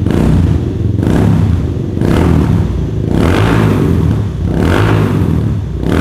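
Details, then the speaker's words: Kawasaki Estrella 250 (W250) single-cylinder cafe racer with a custom silencer packed with plenty of glasswool: full thumping note rising and falling smoothly through repeated revs, no misses or clatter. Normal exhaust note. "Ya, suara knalpotnya ciri khas Kawasaki banget ya, 1 silinder. Cuma bedanya kalau kalian bandingin sama W175, jelas yang Estrella 250 ini lebih padat gitu cuy suaranya."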